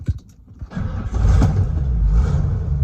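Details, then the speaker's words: 1992-1998 OBS Ford truck in neutral with the clutch pedal switch's red and blue wires jumped: a few quick cranks, then it fires and idles evenly, so the no-crank fault is the clutch switch, not the battery, starter, relay or wiring. "the truck fires right up so from here you know it has nothing to do with your wiring harness your key ignition nothing like that"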